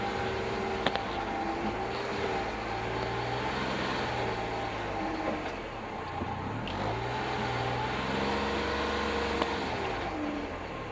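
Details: 2024 Polaris Ranger 1500 engine running and changing pitch, with a few sharp isolated knocks or pops over the running note.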